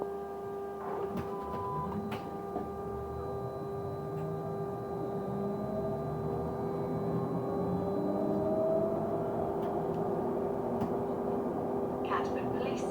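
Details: Stagecoach London North bus SLN 82060 on night route N199 near Bromley Road: a steady, unchanging mid-pitched tone hums throughout over quiet bus rumble. Constant-pitch tonal noise, source unknown.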